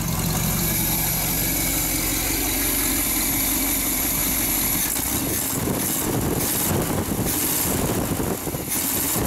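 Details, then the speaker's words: Small-block Chevy V8 at first start after purchase, on a cold day. Smooth, even idle with a steady rumble and no squeal or miss, though an exhaust leak and a loose belt are noted. It is no longer smoking and runs well. "got the diesel shut off got uh not tightened up sounds really good got an exhaust flake i'm not smoking anymore"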